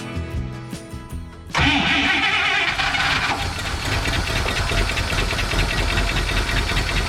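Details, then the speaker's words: 1955 Buick Super revived after sitting, running off a gravity-feed temporary gas tank; starter whirr, quick catch, steady even run, sounds good when revved, slight smoke from exhaust; normal start and idle. "It cranked right up. And she sounds pretty good. Even when I give her the onions."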